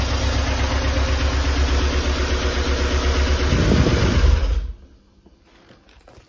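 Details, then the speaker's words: Flood-damaged Porsche 968, first run during restoration, cold. Rough idle with light rapid ticking over a low rumble: hydraulic lifters noisy after long disuse, expected to calm down as they fill with oil; oil pressure good. "these hydraulic lifters are still very noisy but they will calm down"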